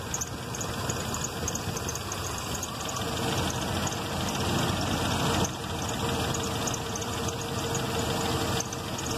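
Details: 1995 Jeep Grand Cherokee 5.2, damaged wiring harness after relay/fuse box replacement; just started after no-start, fouling plugs. Idle never settles, swelling and sagging slowly under a steady hum, vacuum varying and TPS wandering: hunting idle, harness replacement needed.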